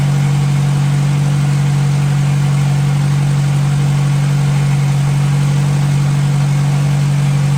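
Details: 1957 Hercules flathead four-cylinder engine with magneto, just revived, oil topped up after being a quart low, antifreeze circulating, warm but not hot after over 20 minutes; smooth even low idle with steady firing beat, no knocks or misses; normal idle.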